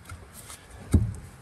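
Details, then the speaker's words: 2013 Nissan Pathfinder rear passenger-side shock rocked by hand gives two dull, low thuds about half a second apart; the worn shock bushing causes the knock. Fix: rear shocks and springs replaced on both sides. "this is the shock on the passenger side the bushing is gone see how that moves you might be able to hear it that is the noise"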